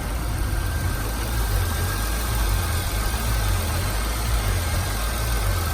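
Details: Buick LeSabre Limited 3.8 V6 with about 130,000 miles, after going off the road: deep, steady, even idle hum with no knocks, misses or ticks; the engine sounds healthy.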